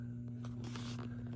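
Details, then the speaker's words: Hallicrafters SX-117 receiver humming only in USB/LSB, not AM: unchanging low buzz-hum near 120 Hz with handling noise; underfiltered lowest audio B+ line to the product detector, fixed by adding a 10 µF 250 V capacitor. "You can hear it's got a hum. And it only hums when I put it into USB or LSB mode."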